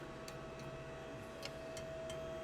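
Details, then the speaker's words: Ford Mustang GT 5.0 Coyote V8: sharp, unevenly spaced metallic ticks over a quiet exhaust drone on deceleration, not at full throttle; header primary tubes clacking against each other. "Now, Cody was able to replicate this noise, and you'll probably hear it here if you listen closely. There's a metallic clacking that isn't"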